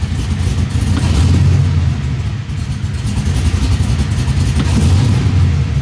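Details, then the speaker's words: LS-swapped 1973 Nova, down on power, with a lumpy cammed V8 idle; light throttle blips dip and skip unevenly, a stumble the owner suspects is a misfire; data log for the tuner and a plug change planned. "there that was a bad one there so i don't know if y'all are catching that but let me uh let me data log this so i can get a sent to the tuner and uh then i'll change the plugs"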